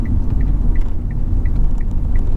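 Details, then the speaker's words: Manual car at about 40 mph left in fifth gear while braking into a roundabout after forgetting to change down. The engine labours near stalling with a deep, uneven rumble and stutter under the indicator ticking; the fix is clutch down and shift into second. "So the moment you hear the car rumbling, stuttering, clutch down straight away."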